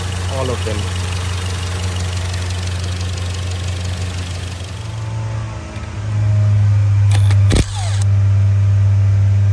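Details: Skoda Kodiaq 2.0 TSI (CZPA, 132 kW) idling low with uneven loping beat; codes P0300 multiple cylinder misfire, P0301-P0304 misfires and P0506 idle rpm lower than expected.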